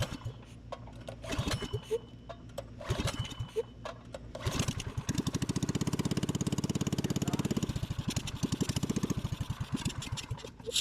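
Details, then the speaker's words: Cheap Baja minibike mid-build, with a new carb kit and torque converter belt, started for the first time on choke: a few sputtering pulls, then the single-cylinder catches and putters evenly for several seconds. Engine starts on choke. "all right first start with the old turd burglar it's on try choke"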